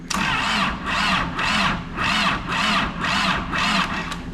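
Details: Diesel engine from a rolled, wrecked Caterpillar backhoe, on a 12 V booster: slow, even cranking bursts with pauses and no catch; owner suspects a poor ground slowing the cranking.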